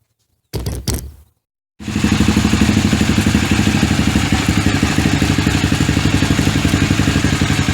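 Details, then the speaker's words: KTM 450 dirt bike, first start in 10 years, after adding petrol: a few short starter bursts, a pause, then it fires and settles into a steady, even single-cylinder idle at about four beats a second while warming up, before dying later. "I hit the key one more time and it fired up guys it sounds okay I'm letting it warm up a little bit because it's running on its own"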